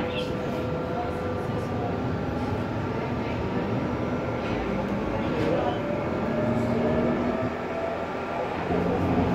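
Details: Ansaldo Breda light-rail car A19 (1996 Italian-built, AEG motors, 3-car set), Ankara A1 line AŞTİ–Dikimevi, heard while running near Bahçelievler: loud steady running-gear rumble and rattle with faint squeals; excessive running noise, cause unknown.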